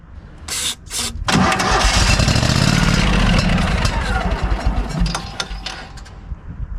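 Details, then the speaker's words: Kohler engine on a Hobart 10,000 W welder generator after carb cleaning, primed with carb/choke cleaner: catches after a few cranks, then runs ragged, stumbling and surging; owner suspects leftover water-contaminated old gas. Battery dying. "it's kind of terrible wow sounds terrible so it looks like that uh the generator does not want to cooperate in the gas that's still in there"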